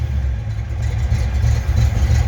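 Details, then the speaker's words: 1983 Fox-body Mustang GT running on its own for the first time in 10 years, with six gallons of gas and gauges working: steady, even low idle rumble, no misses, knocks or ticks; normal idle. "You can hear it run. It is running by itself, guys."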